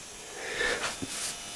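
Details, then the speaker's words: LG 60PC45 2008 plasma TV after sub power supply repair for stuck-in-standby fault: faint thin electrical buzz with brief higher whine from the sustain/Z-SUS boards, the usual buzz on these LG sets; normal. "exercises buzzing all the z sources is in lg's nicely"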